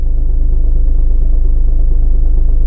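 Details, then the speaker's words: Cheap VW Golf on the move: heavy fast low rattle pulsing under the road rumble; owner suspects flywheel and clutch need changing, plus a possible gearbox or driveshaft problem on the passenger side; drivetrain rattle. "Rattling like crazy. You must be able to hear that on camera. Rattling starts. I reckon there's two problems with this. I reckon we got a flywheel in a clutch that probably needs changing."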